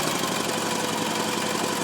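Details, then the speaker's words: Gravely L8 tractor with 10 hp Launtop clone diesel just pull-started; steady even diesel clatter at constant speed, no misses or knocks, smooth running engine. "and I'm going to grab the start handle, and up she goes. And real smooth running engine."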